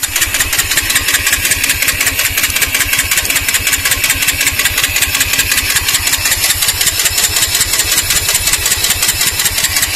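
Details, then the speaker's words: TVS Apache RTR 160 stopped in neutral: continuous fast whirring with rapid even pulse that kept going even with key switched off and removed; starter motor suspected running on from a stuck self-start relay, not confirmed. "నేను switch off చేసినా సరే, key of చేసి key చేతికి పట్టుకున్నా సరే ఆ sound మాత్రం ఆగట్లేదు. అసలు ఏమైందో అర్థం కాలేదు."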